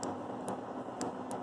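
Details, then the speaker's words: Bridgeport Model 6F milling machine power feed limit switch being tested: faint sharp clicks about half a second apart over machine hiss; switch sluggish, delayed snap-back on release. "well i don't know if you can hear but this switch is acting sluggish but from the noise of the milling machine you might not be able to hear the clicks"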